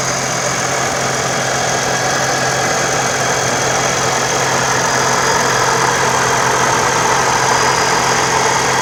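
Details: Toyota 4.0L with TRD supercharger, warm at operating temperature, idling: constant high whine and hiss over a busy, slightly clattery engine note, seemingly from the supercharger.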